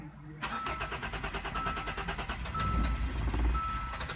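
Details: 2015 Hyundai Santa Fe with hard or no starting: starter cranks evenly for about four seconds but the engine never fires, and no rpm signal registers. Cause is a blown sensor fuse.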